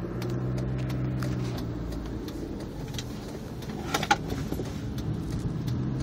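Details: Jeep engine at idle wandering with an uneven, lumpy beat and occasional stumbles; a rough idle.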